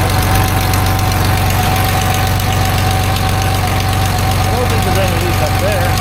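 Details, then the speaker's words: 1989 Dodge W100 with recently welded exhaust pipes, idling: uneven tick about three per second over exhaust note; no air felt at upper spot, owner suspects exhaust leak from lower area. "I couldn't feel any air coming from up here, which, you know, it sounds like it's coming from there."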